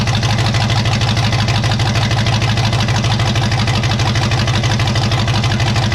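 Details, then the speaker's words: 1954 Chevy 3100 V8 at first fire-up: deep, steady idle at about three pulses a second with a slightly uneven beat. Owner suspects open vacuum ports pulling in extra air. Rough idle. "Oh, that's probably why it's idling a little weird. That's a vacuum I need to fill. Oh, and that's a vacuum I need to fill. So, it was pulling in a little bit of extra air and didn't know what to do with it."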